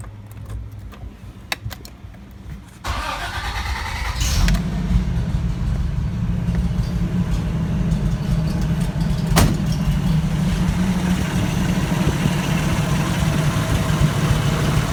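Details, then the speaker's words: 1984 Toyota FJ60 with 2F engine, de-smogged, after refitting the OEM exhaust manifold in place of a troublesome header: brief crank, fires first time, settles to a smooth, steady idle with no knocks, misses or exhaust ticks; runs perfectly. "guys just like i figured runs absolutely perfect i've already done a little test start up fired right up first time and uh you will definitely hear how smooth this thing is here in just a second"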